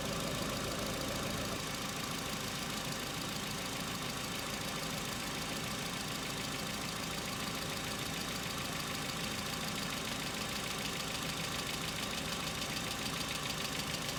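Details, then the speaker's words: Hyundai Accent cold start: light, fast, uneven ticking about two a second building over quiet cold idle; hydraulic lifter knock now recurring in repeated episodes, more intense and longer than in summer. "Стуки стали интенсивнее и длятся дольше. Раньше такого не было."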